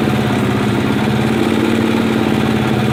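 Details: 1980 Kawasaki Z500 B motorcycle at even idle with a quick light ticking knock running through it; cause unknown.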